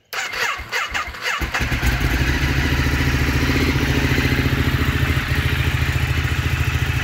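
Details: Ducati Streetfighter 848 twin, first start before first ride since purchase: starter whirs briefly, engine catches cleanly and settles into a lumpy but steady idle with no odd knocks; sounds healthy.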